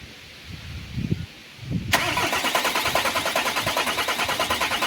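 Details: 2022 Renault Master 2.3 diesel, 150,000 km, stalled on highway and won't start, old crank sensor plug refitted: steady cranking about three beats a second that never catches; crank-cam timing desync.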